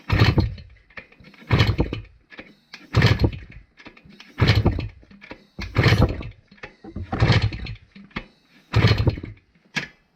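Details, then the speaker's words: 1971 Kawasaki F7, batteryless setup: seven kick-over bursts, each dying without catching; no spark, owner swaps wires and may need a ground wire. "No spark. So, let's try flipping these wires around. See if that does anything."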